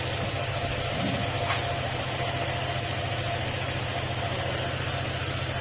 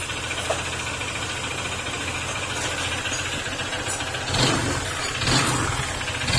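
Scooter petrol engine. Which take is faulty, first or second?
second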